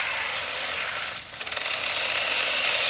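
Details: 3D-printed RC tank with 45-turn brushed 540 motors and 60A ESCs, driving on wet ground: high motor whine then quick burst of rapid clicks as tracks jump sprocket teeth; loose tracks skipping, need tightening.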